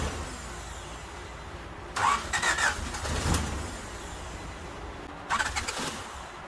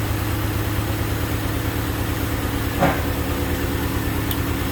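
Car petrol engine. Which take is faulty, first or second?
first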